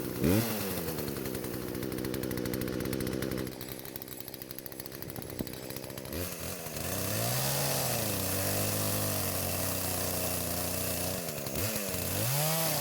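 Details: Poulan chainsaw that would not start despite spark, fuel and compression, now after repair and several carburetor adjustments (L screw about half turn counterclockwise, idle screw): crisp two-stroke buzz revs up cleanly and drops to a steady idle without stalling or hunting; normal running.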